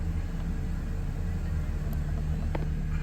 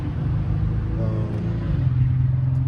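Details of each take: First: Mercedes C300 with a P0306 cylinder 6 misfire, after replacing the ignition coil and spark plugs: a steady, even low idle with no stumble or shake, firing cleanly, though the check engine light has not yet cleared. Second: 2010 Mercedes C300 V6 with code P0306, cylinder six misfire: low idle with slightly uneven throb, attributed to a failing ignition coil.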